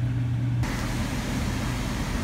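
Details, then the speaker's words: HVAC air handler blower after ECM-to-PSC motor conversion, with thermostat calling for fan: smooth constant low hum with no rubbing, rattling or speed wobble; blower motor running properly, normal operation. "all right guys our blow motor is operational uh everything's looking good"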